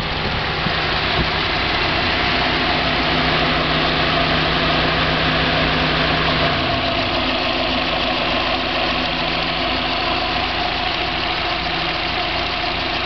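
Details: 1990 Mazda Miata at idle: fast metallic rattle about three per second, persisting as revs drop, separating from lash adjuster noise on acceleration/deceleration; persists on 93 octane; owner wonders about rod knock or spun bearing, source unclear.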